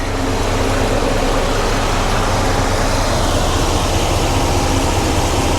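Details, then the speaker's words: 1993 GMC Sierra C1500 with new Delta Current Control driving a 2-speed 1994 Ford Taurus cooling fan, AC switched on: steady even whoosh over the running engine, no rattle or scraping, wiring not heating up. Fan running normally on low speed. "Yep, it's working. All right. So, that's that's the low speed. Nothing is uh heating up."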